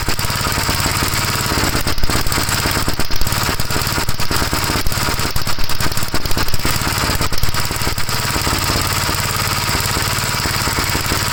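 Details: 1956 Gravely L single-cylinder after a hard cold start, before head removal (carburetor ruled out): steady idle thumping with ragged, uneven bursts mid-clip. Runs rough; cause not yet found.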